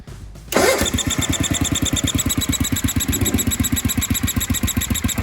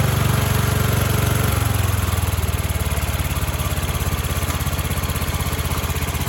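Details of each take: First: 1976 Sears ST12 garden tractor, recently given a new PCV breather and hose, a muffler swap and tuning. Steady thumping idle with a new high chirpy squeak on each firing stroke. Changing the plug didn't help; the owner wonders about a head gasket, cause unknown. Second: 1976 Sears ST12 garden tractor single-cylinder engine after new PCV valve, breather and hose, carb cleaning, flattened flange and new gaskets: drops from fast run to an even clean-firing idle; runs well now.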